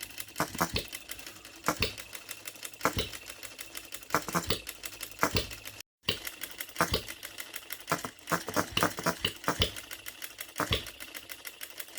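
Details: OKMO Retrol B02 miniature petrol hit-and-miss engine, first start, running on 25:1 shellite mixed with Marvel Mystery Oil: sharp firing pops in irregular bursts with ticking coast between, crisp even hit-and-miss rhythm; healthy.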